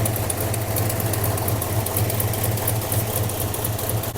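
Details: Hellstang Mustang at low idle, downpipe leak present, vacuum line not yet hooked up (owner expects it to run better with vacuum), alternator not charging (about 12.2 V): uneven loping beat about two pulses a second with stumbles, cause unconfirmed.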